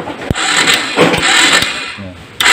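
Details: Carbureted Honda Supra X 125 that won't start: the starter whirs in short bursts but the engine never fires. There is no spark at the plug, and the LED test fails, pointing to the pulser or its wiring.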